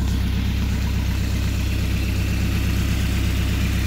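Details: Rebuilt Mercruiser 170 3.7L marine engine after break-in, about 1.5 hours, idling with makeshift wooden muffler: deep even idle, no knocks, ticks or misses; healthy.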